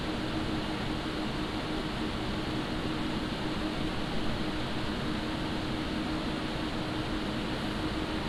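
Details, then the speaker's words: Montech HyperFlow Digital 360 AIO, microphone about half a foot from pump and 1 foot from radiator fans; steady airy rush with faint low hum, no rattles or grinding — pump and radiator fans running normally. "So that's the noise that you hear from the radiator and from the pump."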